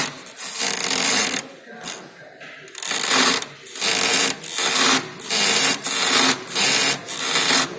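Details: Volkswagen Jetta suspension: rhythmic dry creaks about one every half second as the stabilizer bar is worked by hand, coming from worn sway bar bushings.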